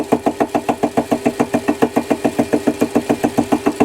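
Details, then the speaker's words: Ball turning tool holder being machined: rapid, very regular chattering pulses about three and a half per second as the cutter radius cuts all the way around the bottom corner; tool chatter on the cut. "you hear a bit of a chattering because it's cutting all the way around the uh all the way around the"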